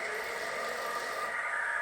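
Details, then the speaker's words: Alta Redshift MXR electric dirt bike, after swapping the rear hand brake for the stock foot brake lever: a quiet, steady high whir of the motor spinning the rear wheel through the chain, smooth, no grinding or knocking. Normal. "Now I got the rear brake on, so let's try to start it up and see what it does. Okay. There it's spinning."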